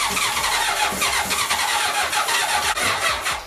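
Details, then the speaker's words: 1980 Honda CB750C engine with low compression (suspected piston rings), on starter fluid, battery only briefly charged: starter drags engine slowly and unevenly, then fades; battery too weak, slow cranking. "it dang battery so the battery does not have enough juice to crank it over so I'm gonna let it charge"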